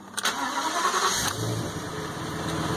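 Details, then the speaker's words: Ford F550 6.8 V10 first start after reassembly, oil spraying everywhere; problem was a fouled plug. Short crank, then catches cleanly and settles to a steady, even run with no misfire or knocking. "Oh, that sounds pretty good. It's gonna make a mess."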